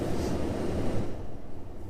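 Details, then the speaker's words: Used Tesla Model S cabin AC blower turned all the way up: steady rushing-air roar with no whine, rattle or ticking. The blower runs smoothly at full speed, normal. "You can obviously turn this up and down here, but I would just go in and, well, turn this all the way up."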